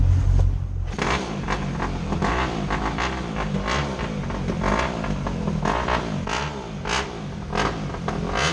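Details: Motorcycle, not started in a while: engine catches and settles into a steady rumble with throttle blips and clean, even pulse; running fine.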